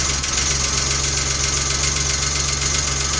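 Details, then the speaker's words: 1993 Geo Metro with restored drivetrain, first start with new tune-up parts: fast light ticking clatter over idle, about four ticks a second, from lifters still pumping up. "As it warms up, the liquors are going to pump up. All the cylinders are going to come online."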